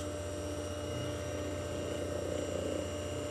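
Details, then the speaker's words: Century 1/4 hp electric motor humming steadily with a light, uneven ticking rattle swelling when the shaft is loaded or moved; began after disassembly and cleaning, cause unknown. "Another thing about this motor that's kind of, it kind of irritates me is whenever I run it, if I push down on it, or kind of move it around or put a load on the shaft, it makes a ticking noise."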